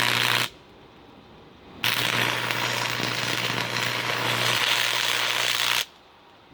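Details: Free Miller Thunderbolt 225 stick welder, acquired after Hurricane Harvey, tested by a first-time arc welder at full output. Steady crackling, frying hiss with a low hum beneath: it works normally.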